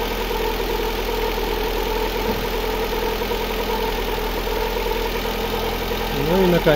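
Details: Lada Granta 8-valve, reassembled after repair for a ringing knock, with valves faced and adjusting shims set: the engine settles into a steady, even idle with a smooth hum and no ringing or tapping; normal idle.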